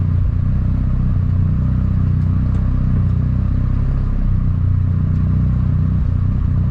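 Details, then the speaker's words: Mazda RX-7 FD rotary at warm idle after about 10 minutes of idling, temperatures steady at 70 degrees, no unusual smoke; low, smooth, steady burble with no knocks or misses, a normal healthy warm idle. "already the car has been idle now for around 10 minutes you can see all temp nicely at 70 degrees"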